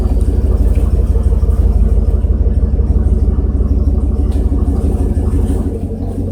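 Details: 1994 GMC Sierra 3500 5.7L, after transmission fluid change and one speed sensor replaced, driving; loud, steady high-revving drone with no shift break; transmission stuck in first and engine over-revving; cause suspected, not confirmed.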